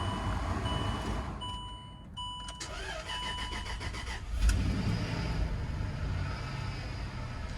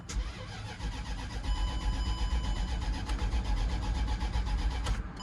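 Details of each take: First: Land Rover being scan-tool tested, with a transfer case or gearbox fault suspected: starter turns briefly, engine catches cleanly and settles into a steady, even idle with no misses or knocks, no check engine light; normal cold start. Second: Land Rover crank-no-start after clearing codes with a LAUNCH scan tool: steady starter cranking at about four compressions a second for five seconds, engine never catches or fires; cause unknown.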